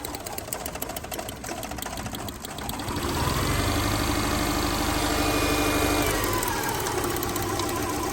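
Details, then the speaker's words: 2008 Subaru Impreza flat-four with a dead coil and plug wires pulled, running on one cylinder: an uneven, lumpy beat of about three per second with a crackling snap from a pulled plug wire arcing. Misfire. "hear the wire shocking as you can see both those are pulled out this one back here is untucked one cylinder it is running off one cylinder it's not happy"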